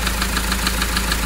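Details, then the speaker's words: Mahindra XUV500 diesel at idle before overhaul, after overheating from a coolant leak: a sharp, regular tak-tak of six or seven knocks a second over the diesel clatter. Mechanic suspects the piston hit and wore; the engine is to be removed. "तो इसके जो sound है जैसा की friend आपने इसका sound सुना तो इसके लिए इस साउंड का जो आवाज है कस्टमर का कंप्लेंट हम दूर करने के लिए इसका इंजन बाहर निकलेंगे क्योंकि हमारा जहां तक तजुर्बा है इसका जो पिस्टन आता है वो हिट होने के बाद से गाड़ी इनका हिट हुआ है हिट होने के बाद से वो माइंस हो गया है"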